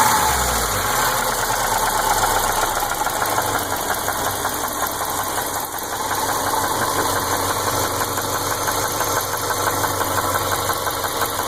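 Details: 2003 Subaru Legacy wagon 2.5 petrol, 131,000 miles: a quick, steady metallic ticking over a smooth idle, worse when cold; runs and drives fine. Cause unknown; later timing belt, water pump and head gaskets didn't change it.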